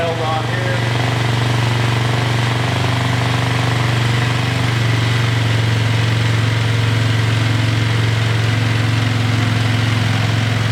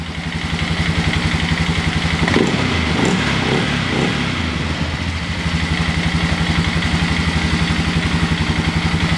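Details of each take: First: Single-cylinder engine after a carb rebuild: it keeps idling fast and steady even after idle-screw adjustment, a constant drone that won't settle. The owner suspects a tight throttle cable, which rubs against the tank and holds it open. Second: 2000 Sportsman 500 ATV after a fresh engine rebuild and a new starter bendix gear: an even, steady single-cylinder idle with regular firing pulses and no knock or rattle; runs clean and healthy.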